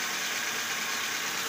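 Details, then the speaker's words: Nissan engine idling after bearing repacked and cam belt reset to cure a noise; steady even idle hiss with no knocking or squeal; noise gone, smooth and healthy. "Kikita ninyo, papansin ninyo, naririnig ninyo, wala na siyang tumutunog. So nireset natin ng cam belt, tapos nirepack natin yung bearing."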